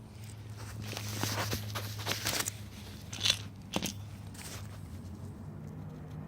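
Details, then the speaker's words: Removed old Toyota Tacoma wheel bearing spun by hand: uneven gritty crunch and crackle instead of a smooth whir; bearing had been loud and whiny on the truck, unlike the new bearing. "this is the bearing this is a bad bearing this is the sound that it makes"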